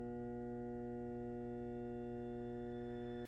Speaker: if it's not humming this is not the video for you contact a professional but if you do have the humming sound turn your garbage disposal off